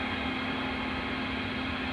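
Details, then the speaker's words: U-Start starter capacitor module entering a shallow charge cycle at about 16 A after a 300–400 A load test: steady low hum with faint hiss that changes pitch; the internal electronic control unit makes electrical noise, possibly fixable with shielding. "just shut off again do you hear it pitch change so that's what i was afraid of as the electronic control unit that's inside of this thing is susceptible it makes a little bit of noise"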